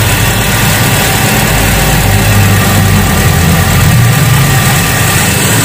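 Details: 2001 Hyundai Atoz GLS, started after sitting two days: a steady, even idle with a smooth low rumble and no stumble or skipped beats, so no misfire (a misfire would suggest spark plugs or coil).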